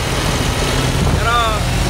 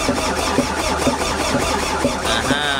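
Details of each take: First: MAN diesel that had not started for almost two years, now running after the faulty solenoid valve was replaced: even, steady idle with no misses or knocks; normal idle. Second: MAN diesel engine that has not started for almost two years, battery earlier found at 5 V: slow, even cranking about once a second with no firing even with starting spray. Electrical supply is OK, but the fuel solenoid valve is not opening, so no diesel gets through.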